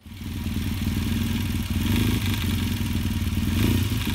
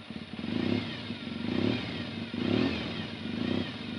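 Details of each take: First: Yamaha XTZ 750 twin idling with a fast metallic clatter on the right side of the engine that speeds up with revs: worn timing chain; oil was also found about 2 cm below minimum; valve clearances redone. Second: Yamaha XTZ 750 motorcycle after recent mechanical work: engine revs cleanly up and back, no ticking or rattle under the exhaust note, no leaks; runs well.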